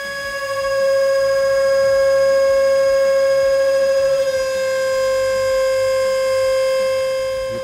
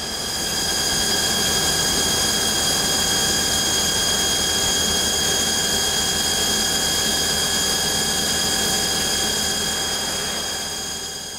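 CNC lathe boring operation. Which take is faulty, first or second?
first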